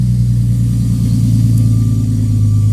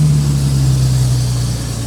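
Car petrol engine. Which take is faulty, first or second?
second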